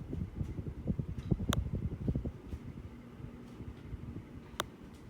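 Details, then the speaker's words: Hunter Eclipse ceiling fan running on high with an uneven low rumble and scattered clicks; it still has bad bearings after the pull-chain repair. "I'll just put it back on high it still has bad bearings but it's fine you can hear"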